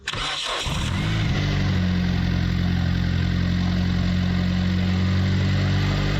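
Starter spins briefly, engine catches at once and settles into a smooth, even idle with a steady low hum; starts and runs normally.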